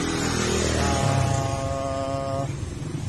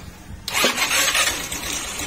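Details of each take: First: Motorstar Easyride 150 single-cylinder after valve tappet adjustment, timing set and tensioner fixed: even thump about four times a second, no ticking or rattle; earlier engine noise gone, healthy normal idle. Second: Motorstar Easyride 150 after reconnecting primary wiring and checking CDI, long stored: catches into loud busy clatter over a weak low idle; mechanic suspects loose timing chain, will check valve clearance and clean carburetor.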